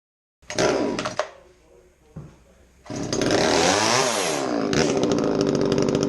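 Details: Echo CS3450 chainsaw after carburetor work and reattaching main fuel line (no-start fixed): fires up, blips to a rising scream, then settles into an even, steady two-stroke buzz with no stumbling; normal running.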